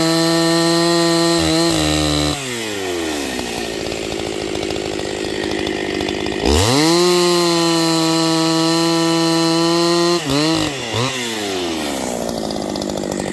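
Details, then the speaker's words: Newly built Husqvarna 268XP chainsaw during break-in, 24-inch bar, cutting wood: high scream drops as the bar bites and climbs when freed; high-speed mixture slightly lean, so the high jet was richened a little. "I just gave it a little more high jet. It's a little leaner than I like it to be. I wouldn't call it lean by any stretch of the word."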